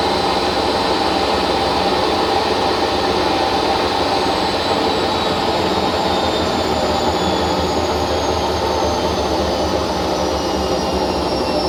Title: hotpoint first edition - bad bearings 1200rpm